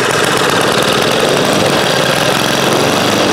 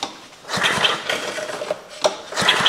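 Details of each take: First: 1956 rototiller single-cylinder engine, unrun for years, after reassembly, started with two-stroke gas poured into the carburetor: fast sharp popping for about eight seconds, slowing and fading as the priming fuel runs out, then stopping. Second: Restored 1956 rototiller engine on its recoil starter, spark plug not yet tightened and before oil was added: rasping ratchety pulls with puffs of compression, cranking freely and sounding ready to fire: recoil start cranking.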